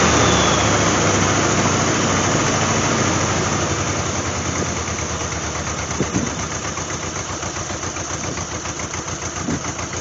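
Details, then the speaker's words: 1988 Jeep Wrangler 2.5 liter, cold start around 43° with new plugs: lumpy uneven idle that sags and stumbles, rear cylinders not firing; owner suspects distributor timing is off, may stall. "I would say that's no better so we're still not figh on those rear cylinders"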